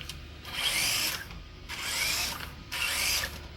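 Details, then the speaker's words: Hobby Plus CR-18P Evo Trail Hunter RC crawler driven in slow transmission speed: three bursts of high gritty whirring rising and falling with throttle, drivetrain whine; owner suspects a gear, performance unaffected. "Pretty decently quick for what it is. But yeah, that noise is pretty concerning. However, it does not seem to be affecting the performance of the truck."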